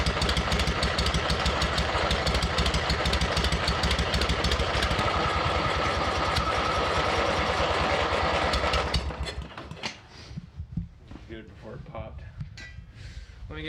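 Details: Abandoned MTD mower twin engine, new head gasket on one side, one cylinder hot while other barely working, popping out of crankcase breather: loud rough chugging about nine seconds, then sputters and dies; sheared flywheel key threw timing off.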